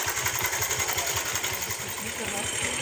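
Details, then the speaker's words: Bajaj Pulsar single-cylinder motorcycle idling after timing chain and tensioner adjustment: steady thumping about three beats a second under hiss, no chain slap or rattle; timing chain noise fixed. "और bike कोई तरह का दिक्कत नहीं होगा, cheap and best हो गया।"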